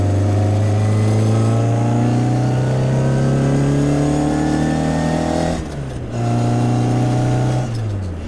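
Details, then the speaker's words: 1968 Austin Mini Cooper café racer on the road: strong gear whine from the straight-cut gearbox climbs with road speed through each gear and eases at the changes, over a healthy engine note. This is normal for straight-cut gears. "It's funny how people's heads turn because it sounds unlike anything else going down the road. You can hear it coming. The straight cuts are just a foreign sound to them, and all their heads always turn."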